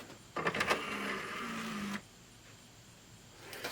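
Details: Samsung Blu-ray player with a faulty disc drive showing a "cannot read disc" error: a rough, irregular whirring grind for about a second and a half as the drive strains to read. Dry disc mechanism grinding.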